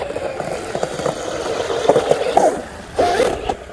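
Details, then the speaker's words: Pro Boat UL-19 RC hydroplane, first run after rebuild with Castle Hydra ESC: raspy mid-pitched screech in bursts during full-throttle power cuts, no smoke, motor 106–113°F and ESC 85°F afterward; source unidentified. "so it sounds like something's screeching almost like a I don't know what to do with no smoke that's a good thing"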